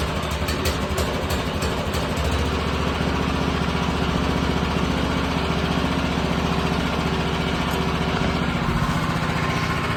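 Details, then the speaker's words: Minibike after swapping the 196cc engine for a Predator 212, start with choke on: even, steady single-cylinder putter with no misses, knocks or surging, smooth and quiet on the stock exhaust; normal idle. "hear how smooth this idling and how quiet it is? I can't, like, I drilled holes in my other exhaust, bro. I forgot how quiet these things really are."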